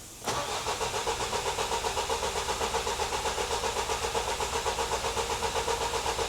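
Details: Vauxhall Vivaro van cranking in steady pulses about twice a second, never catching, after fuel priming; fuel pressure stayed too low, but actual cause was immobiliser not reading key, shown by a missed fault code.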